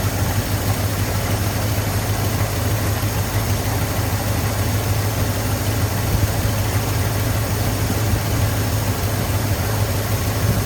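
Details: 1983 Ford F250 with carbureted 460 V8, running after priming, accelerator pump leak and stripped pump screw threads still to fix: steady, even low rumble with no misses or stumbles; normal healthy idle.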